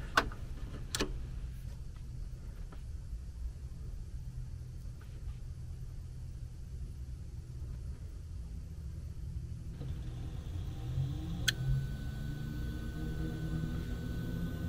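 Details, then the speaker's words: Lennox furnace variable-speed ECM blower motor after replacing the failed motor and module: quiet, even airflow rumble swelling smoothly as it ramps up, no thumping or whine; normal blower operation. "that's how it's supposed to sound [Music] yeah you're ready to rock now"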